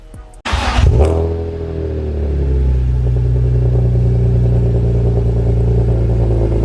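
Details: BMW E46 M3 at idle after fitting Yonaka rasp pipes to a slotted flange with OEM donut gaskets, Megan headers and X-pipe: crank, catch, then a steady even low burble with no ticking or puffing. No exhaust leaks, running good.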